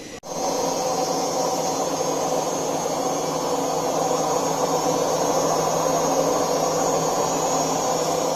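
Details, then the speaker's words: Siemens washing machine on spin before bearing replacement: steady heavy roar throughout with no let-up, from worn drum bearings; worse cases sound like a jet engine. "Bu ses rulmanlardan geliyor. Yani bu sesi iyi dinleyin. Bunun daha böyle aykırısı, çok olanı jet motoru gibi çıkar."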